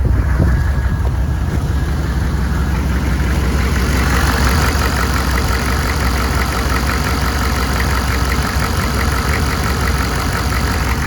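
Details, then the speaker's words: 1995 GMC 3500 HD 6.5L turbo diesel idling after replacing the faulty reman injection pump and setting timing/TDCO: deep, steady clatter, no lope, surging or periodic RPM drop as with the old pump; sounds super smooth. Normal idle. "to be running really smooth right now there's no sign of a lope in it like it had with the other injection pump there's no side of a mess or that periodic kind of drop in RPM we would have before um sounds super smooth right now"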